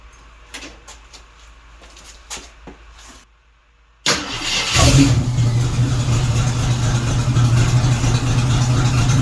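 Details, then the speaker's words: 1976 AMC Gremlin off the road 36 years, first run on fresh pump gas with Seafoam added: engine catches and settles into a steady, even, quiet low idle with no knocks or misses; normal idle. "thing runs way too well. It sounds quieter now, actually. I realize I'm not shouting as loud."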